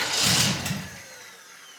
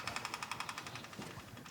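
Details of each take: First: Custom hot rod (Space Junkie) with exotic dual carburetors, first start after reassembly: sluggish, dragging crank, a pause, then it catches and settles to a steady idle; starter turning it slowly, needs tuning. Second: Custom hot rod (Space Junkie) with dual carburetors, first start after reassembly: rapid light ticking about ten a second on key-on, fading as the electric fuel pump primes and builds fuel pressure.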